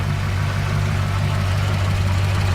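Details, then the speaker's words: Ford LTD Crown Victoria V8 converted to EDIS ignition with 1994 Lincoln Town Car ECU, tune unfinished: choppy, hunting idle because the ECU expects AODE transmission inputs, thinks it's in Drive, and an idle table is off. "the idols a little a little choppy right now because the 94 ECU is expecting inputs from a aode transmission which is what the 94 town car came with"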